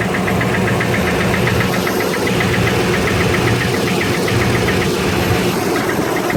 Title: 2006 tundra v8 4.7 knocking noise